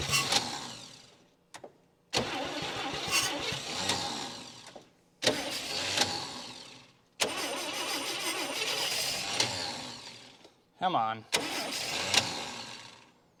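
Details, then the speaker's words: 1959 Chevy Biscayne 6-cylinder, freed after being seized through about 20 years of storage, old starter, battery charged: several long cranking bursts with short pauses, then it catches and runs about five seconds before dying. Owner says it needs fresh fuel and a good starter. "there we go she ran I mean all of it for five seconds but still turn the points off she did in fact run"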